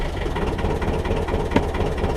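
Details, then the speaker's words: 1.5 BMC diesel narrowboat engine just started after glow plug change, raised revs before engaging prop: rough uneven clatter with beats dropping out; misfiring a bit and noisy. "So I've got her on some revs there, and you can hear she just misses a bit. She's a bit noisy"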